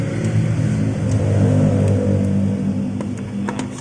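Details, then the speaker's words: 2020 automatic scooter after a simple fix for a rough 'ngorok' CVT noise, tested with the CVT cover closed again: a steady drive hum and even low rumble, no grinding or rattle. It is smoother than the earlier rough sound. "nah udah ada perbedaan dari yang tadinya bunyi kasar sekarang agak lebih halus"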